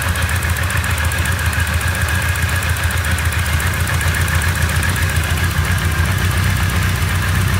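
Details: Rough idle with the crankcase vent routed to the intake and boost/vacuum reading slightly higher than the usual about -8: low, lumpy idle of two to three pulses a second with slight shake; cause suspected, not confirmed.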